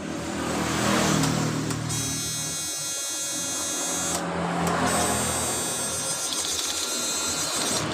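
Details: Yamaha Mio Soul GT fuel-injected scooter that cuts out over bumps: at key-on a steady high-pitched electric fuel pump hum starts, drops out briefly and resumes evenly; pump priming normally.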